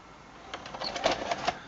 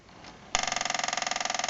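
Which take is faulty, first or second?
second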